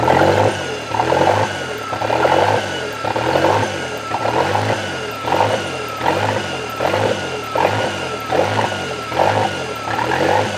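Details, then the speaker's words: Toyota 3E-TE engine idling rough: idle bounces between about 1500 and 2500 rpm, swelling and dropping about once a second without settling; throttle blip drops back; engine seems to get hot, cause not found; hunting idle. "so yeah when it starts up it does the bounce idle between about 1500 RPMs to about 2500 and then I barely touch the throttle and it goes up and it starts it of like uh three grand and then soon as I rev it up it drops back down"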